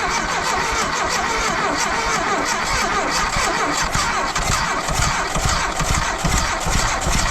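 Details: 1982 Dodge Charger 2.2, unregistered since 1990, plug wires just repositioned for cylinder one at TDC, fuel poured in by hand: ragged cranking catches and sputters into rough irregular running, struggling to start. Cause suspected, not confirmed.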